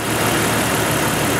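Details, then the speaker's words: 1988 Jeep XJ 4.0 after knock repair with new rod bearings and lifters: smooth, quiet, steady idle hum, injectors audible, no ticking or knocking. Normal idle. "Anyway, you can hear it smooth and quiet, humming along."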